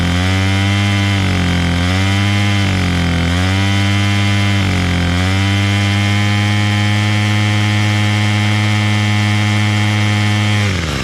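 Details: Bolens MTD BL-160 25cc two-stroke trimmer after carburetor clean and hi-lo mixture screw adjustment, choke off: blips up and down a few times, then holds a clean, steady high buzz without stumbling at full throttle; runs healthy.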